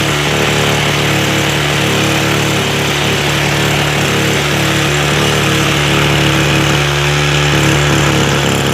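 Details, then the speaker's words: Echo SRM 225 trimmer after a carb rebuild, choke off: revs up cleanly and holds a steady, even two-stroke buzz, idling too high from the earlier idle-screw adjustment. "Okay, she revs up a lot nicer. And notice the idle's a little high. So you can hear it idling way too high now. And that's because it wasn't running correctly before and we had to turn the idle up."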